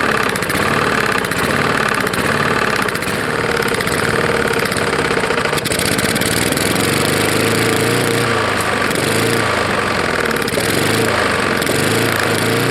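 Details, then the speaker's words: Roadside-found Lawn-Boy mower, 149 cc non-OHV engine that had ingested dirt and grass: rough, loud running with a heavy rhythmic knock each beat; suspected bad lower end, possibly hitting the head. "it sounds like it's hitting the head probably is"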